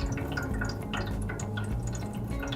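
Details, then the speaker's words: Heating radiator: irregular drips and splashing of water inside. Suspected trapped air in the system or low water pressure; the fix is to check system pressure and bleed the radiator. "hört sich so an als würde das Wasser in den Heizkörper Plätschern Ursache ist dabei häufig Luft im System oder ein zu niedriger Wasserdruck"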